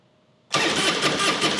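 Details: 2003 Harley-Davidson Softail Deuce (Twin Cam), 400 miles, after a cranks-but-won't-fire no-start; fuel pressure about 60 PSI with pump running, holding 55; in neutral: catches instantly and settles into a strong, even rumble with no stumble, a clean, healthy start.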